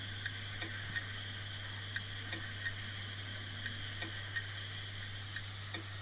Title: 😭 HARD DISK CLICKING NOISE ( A DYING HARD DISK ) #shorts